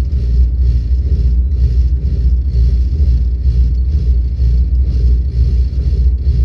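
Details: Volvo 8700 bus diesel with ZF Ecomat automatic that won't engage neutral at idle: idle dragged low into a heavy, uneven shudder about once a second, gearbox holding drive and nearly stalling it.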